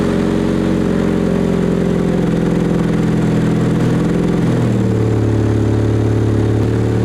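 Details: 2008 Chevy HHR after exhaust install; steady even low idle burble, deep exhaust note, no rattle or buzzing pipe. Normal healthy exhaust after install.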